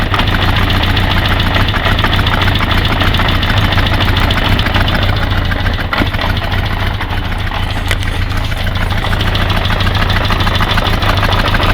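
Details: Kawasaki GPZ550 idling after head gasket replacement, noise appearing 3 days later; rocker timing redone, chain tight so owner doubts the cam chain tensioner; fast light clacking over steady idle, even and constant; engine ticking, cause unknown.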